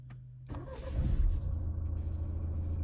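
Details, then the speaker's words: 2017 Renault Megane 4 1.6 dCi diesel, first start after a fuel filter change and about a minute of fuel-pump priming: short crank, catches within half a second and settles into an even, smooth low idle; normal start. "yeah so it's started we'll leave it on um we'll idle for a minute so he's running nice he's not lumpy he's smooth so I think we're okay"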